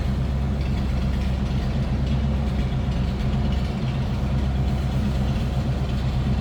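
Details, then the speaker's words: 1950 Ford F1 pickup with flathead V8, 12-volt system, after a cold start: low, even V8 burble at idle, steady rhythm with no knocks or misses; normal idle. "sounds like you'd expect the flatty to sound and speaking of which let's slip up and pop This Hood"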